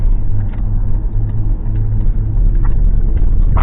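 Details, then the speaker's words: Ford Crown Victoria P71 V8 after cylinder 5 misfire (code P0305) fixed by swapping in a used coil pack and clearing codes: test-drive hard acceleration, deep even rumble pulling smoothly with no stumble; engine running normally. "give the beans one last time that seems to be doing okay"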